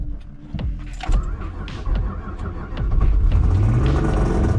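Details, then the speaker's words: Mazda MX3 with a stock KF V6 knocks deeply and unevenly under its low rumble: rod knock, which the owner links to a week of turning the boost past about six pounds on the weak stock rods. "as you can tell it's got rod knock that is why i haven't driven it too too much this summer"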